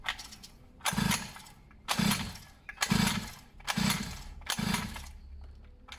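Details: Two-stroke pit bike/mini moto being revived with fresh fuel, spark felt: five kicks about a second apart, each giving a short rasping catch that dies straight away; engine fires but won't keep running.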